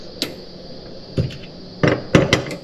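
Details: Gas cooktop with constant igniter clicking, after the burner was realigned: a handful of sharp, uneven clicks over a faint hiss as the burner lights, then quiet. This is normal igniter clicking, with the gas now coming through properly.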